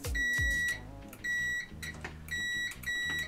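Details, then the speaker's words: Nivona NICR 788 coffee machine with intermittent error 8, multimeter continuity test on a brew-unit gearbox control microswitch: steady high beeps in short bursts as contacts close when pressed; the switch conducts properly. "Słuchajcie włączamy miernik od tego zacznijmy na pipc na jak sprawdzamy dotykamy dwóch i"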